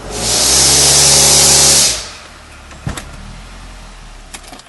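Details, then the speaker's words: 2006 Nissan Altima 2.5L with P0420 catalytic converter code, heard inside while power-braking in gear: engine pulling hard with a loud hissing rasp from an exhaust leak underneath at the center of the car. "I'll take you up underneath the bottom now and I'll show you where that exhaust um where that exhaust leak is taking place."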